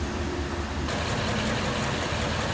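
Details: 1946 Ford Super Deluxe convertible, stock flathead with three-speed manual, hood open: low, even burble at a steady idle with no knocks, ticks or misses; sounds healthy.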